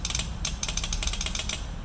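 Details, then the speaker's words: Scooter with a no-start electrical problem, starter switch bypassed by bridging its circuit with a small metal bar: a quick, steady, even ratcheting whirr of the starter spinning the engine; the starter circuit works. "इसको ये निकाल दिया है य आप छोटा सा बार का टुकड़ा देंगे एक साइड में ये और दूसरी साइड में आपको सिर्फ टच करना है जैसे कि देखो आप आवाज आ रही है"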